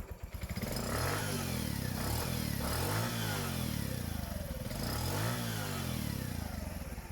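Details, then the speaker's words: Motorcycle engine after rebuild with all internal bearings replaced except the good head cam bearings, damaged silencer pipe, revved: revs swing up and down cleanly, even exhaust beat; former growling 'ghar ghar' engine noise gone, smooth healthy. "যদিও silencer pipe খারাপ আছে, তারপরেও কিন্তু ইঞ্জিনের সাউন্ড একদম সুন্দর আসছে।"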